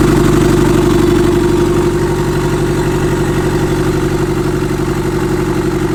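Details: Restart of a freshly SR20DET-swapped S13 coupe after its first start: steady, slightly uneven low idle pulsing about four times a second. Timing and idle still need adjusting, and the downpipe is unfinished. A boost leak is also suspected.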